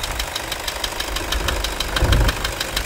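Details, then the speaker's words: Toyota Hilux 2.5 diesel after accessory belt repair for scraping and alternator bearing noise; steady diesel clatter with even ticking and no belt squeal or chirp, accessory drive now quiet. "Diogão viram que o barulho não faz vai de novo"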